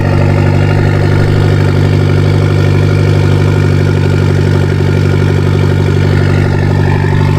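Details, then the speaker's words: Mitsubishi Lancer Evolution X with stock turbo at cold start: steady low rough idle with a rapid uneven puffing tick, about three per second, from a major exhaust leak mid-car. "Has a major exhaust leak in the center of the car, but that doesn't really affect us in what we're doing."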